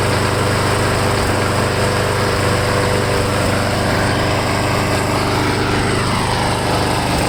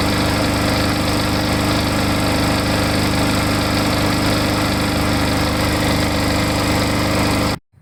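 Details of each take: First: Lawn mower small engine running after Seafoam was added to the fuel tank to cure a surge; a fairly even, busy buzz with no big rev swings, the earlier hunting settling. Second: Surging lawn mower after Seafoam plus an extra capful shaken into the tank: runs at steady, even speed for several seconds, no hunting or surging, before cutting off; much improved.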